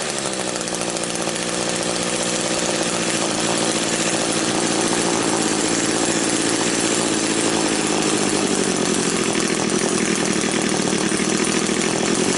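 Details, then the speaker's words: Old Echo two-stroke engine after clearing its completely blocked exhaust spark arrester screen, started unchoked: a high, steady scream that revs freely and holds at full throttle without bogging. "All right, let's go ahead and see what she sounds like now. I'm not even going to choke it or nothing. It should idle okay right now. Switch on. Sounds a whole lot better already."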